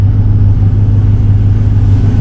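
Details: 2001 Chevy Silverado right after fuel pump replacement, engine started and revved: strong, steady low engine drone without stumbling or cutting out; truck runs cleanly on the new pump.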